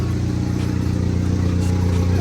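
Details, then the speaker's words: Normal running of the SRT4 after ECU repair, once fuel drain-back to the tank was overcome by extra cranking and priming: steady, even low rumble with no misses or knocks, loud side-exhaust drone. "it is running and it is running"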